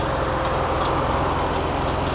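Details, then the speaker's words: Mercedes-Benz W126 300SEL, US-spec, engine warming up with idle raised: metallic banging riding the engine beat; harmonic balancer (crank timing disc) rubber has separated, outer ring wobbling. "But We can hear that noise now. This is actually it. The verification plate has already come off."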